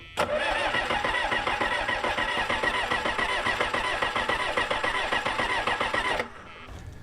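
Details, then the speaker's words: L555 skid steer diesel, cranking while bleeding fuel to injectors: steady but sluggish starter churn about three and a half turns a second with no catch; battery weakening, spinning too slow. "Sounds like the battery's starting to slow down. Yeah, a little bit."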